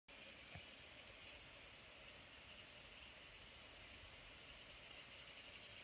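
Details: Lenovo Yoga 900 laptop with processor use above 70%: steady loud airy fan rush with a faint high whistle near three kilohertz; cooling fan running flat out under heavy load.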